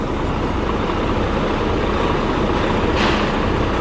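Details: Volvo FH13 truck diesel, restarted after repairs including a replaced bearing: runs with a smooth, steady roar, no grinding, knocking or squeal; sounds better than before the repair.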